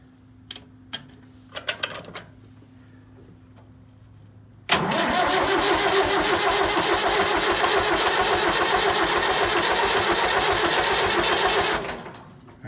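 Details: David Brown 990 diesel tractor, sat just over a week: long steady cranking about four turns a second, no catch or firing; loses prime through leaking injector pump O-rings on throttle and shutoff studs, rebuild kit ordered.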